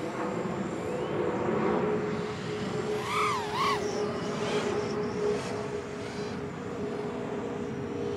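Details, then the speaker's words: Diatone GT-R349 3-inch micro racer drone in flight on 4S 550 battery with stock PIDs: motor whine warbles and swoops instead of holding smooth, oscillations; PIDs too high, risk of burning motors. "yeah this tune is not good either yeah you can hear the oscillations all I'm this is probably going to burn the motors so I'm going to have to land this and lower these pids they're too"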